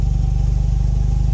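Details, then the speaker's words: Mazda RX-7 rotary engine running with fast, steady low pulsing and a faint, thin whistle or whirring; the engine also shakes, possibly the mounts. Owner suspects a vacuum problem or the alternator. "That whirring? Yeah, it sounds like a whistling to me. Yeah. I think maybe that might be a vacuum problem or It something. might be my alternator."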